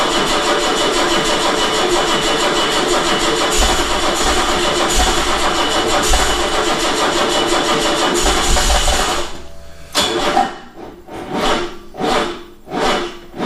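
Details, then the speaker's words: 1979 BMW 633CSi after 5 years off the road; battery being charged up before retrying. Slow, labored cranking surges about once a second that never catch; crank no start, weak battery. "right get the power whipped on give it a we minute or two working that battery up"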